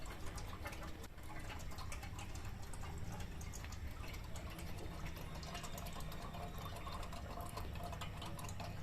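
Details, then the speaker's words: Loud, continuous sputtering and gurgling while flushing a refrigerator's freezer evaporator from the suction line, capillary tube opened; heavy compressor oil buildup inside, so the evaporator will be replaced instead of flushed. "तो इस तरीके से ये आवाज़ कर रहा है, freezer बहुत ज़्यादा आवाज़ कर रहा है, इसके अंदर बहुत ज़्यादा ऑयल जमा है।"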